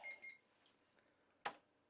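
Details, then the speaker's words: Dell OptiPlex GX110 (computer eight, with built-in sound card, 733 MHz processor, 128 MB RAM) gives two short bright PC-speaker beeps at power-up then a soft click; normal POST boot. "sounds like the pc speaker is a little bit different on each one"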